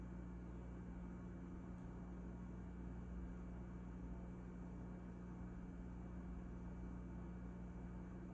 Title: Sounds I cannot hear with out my hearing aid my fridge started make weird noises